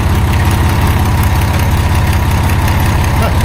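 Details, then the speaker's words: 1989 Dodge W100 after tightening a leaking exhaust pipe joint: a low, even idle thump with no puffing or ticking from the exhaust. Now runs noticeably quieter. "I get that tightened up cuz that's just just a bit of a leak right there. Oh, that makes a difference. A lot quieter."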